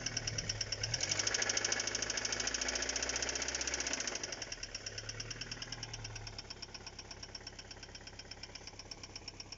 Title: Стук в двигателе